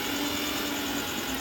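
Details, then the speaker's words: Mixer grinder that would not run, with the overload switch tripped, tested after fitting a new switch: steady high-speed even whirr with no grinding or stutter; runs very well. "লাগিয়ে করে এবারে mixer গ্রাইন্ডারটা test করব চলছে কি না। চলছে খুব সুন্দর চলছে,"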